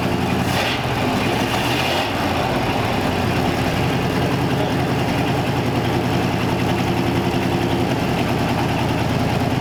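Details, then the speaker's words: 1934 Ford 5-window with a carburetor, running after fuel system work and a replacement gas tank; steady, even low rumble with no knocks, misses or whine, notably quiet; normal idle. "i can't believe how quiet the engine is in this thing after we got it going"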